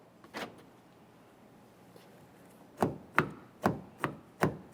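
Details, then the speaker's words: 2011-2020 Toyota Sienna with a new replacement door lock actuator, listened to at the door while pressing the lock button: a run of crisp, solid clunks with quiet gaps. The actuator is working properly. "let's go ahead and listen to this area while pressing on the lock button I can hear it functioning like it should"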